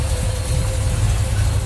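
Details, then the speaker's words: 1966 Chevrolet Chevelle Super Sport tribute, 454 big block with Holley 750 carb, HEI ignition, headers, Turbo 350, idling with hood up: deep even rumble, slight lope from a little cam, no ticks or knocks; smooth healthy engine. "Nice, smooth running engine. Sounds like it's got a little cam to it."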